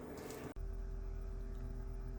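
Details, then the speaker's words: Galmet Airmax³ 14GT heat pump at first start-up, system vented through a Flamco Xstream Vent separator, heard in the basement plant room: after a brief noise, only the circulation pump gently hums, steady with no gurgling; normal circulation pump running. "układ jest już odpowietrzony słychać w tym momencie tylko i wyłącznie pompkę obiegową sobie tam delikatnie szumi"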